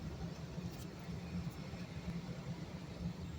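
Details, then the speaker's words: Home AC condensing unit, which previously would not start (only about 120 volts found), after a simple fix: low steady hum, even airflow, no rattles or squeals; cooling normally. "oh yeah she's cooling she's nice and cold"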